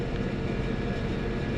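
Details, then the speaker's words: Perlick bar refrigeration unit after TXV replacement, system recharged and running, temperature coming down: steady even compressor hum with low rumble, no knocks or rattles, normal. "All right, I got the system all charged up. It's running. We're coming down in temp."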